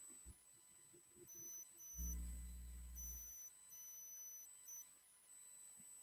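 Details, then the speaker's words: Microphone squeal on a gifted livestream mic: high thin squeal in bursts with a low hum under it at times; after the charger test, the owner suspects the phone is too restrictive and causing the squeal. Unconfirmed. "the phone might be too restrictive and it might be making it squeal of course yesterday that wasn't what fixed it but you never know"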